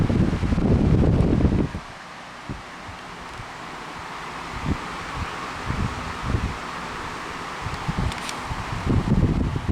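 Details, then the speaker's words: SMC SF-16 16-inch oscillating stand fan, the left one compared with a weak one: strong, steady rushing air with some low buffeting, no rattle or ticking; normal full airflow. "That one is moving so much more air. Hear the difference? This is how it's supposed to be."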